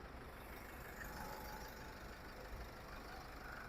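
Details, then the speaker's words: Isuzu D-Max 1.9 Z Ddi Blue Power diesel, 2016, manual 6-speed low-rider, starts easily: quiet, tight, even idle with a soft steady rumble and no knocks or rattles. "สวยๆเลยเครื่องเงียบมากเครื่องแน่นมากครับประหยัดน้ำมันตัวนี้"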